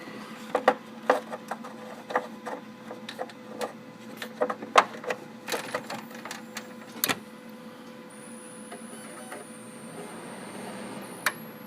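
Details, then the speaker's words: Dell Optiplex 760 (Core 2 Duo E8600) with a bad 305 W Dell power supply, just plugged in: after handling clicks a thin, very high-pitched coil whine starts and shifts pitch slightly. The system still boots. "Oh, that just sounds amazing, doesn't it? Doesn't it coil scream? Doesn't that just sound great?"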